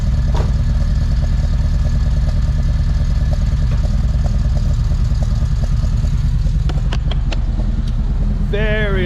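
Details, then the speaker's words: Big-cam Honda D16 VTEC track car, cold start: deep, uneven loping idle a couple of beats per second with very loud intake induction noise from longer valve opening; cammed idle as intended. "It's exactly what you want if you put a cam in your car. The cam's for the power, but you really, really want the lopey sound, which is what we got. You can hear from here the intake sucking because those valves are opening more. It's sucking in more air. Very loud induction noise."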